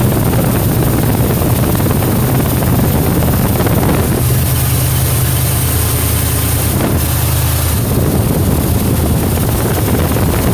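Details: 1977 Mercury Marquis V8 with straight-pipe exhaust idling after carburetor fuel line replacement: loud, deep, steady rumble with wind across the mic, even idle without stumbles; no leaks; accelerator pump repair still to do.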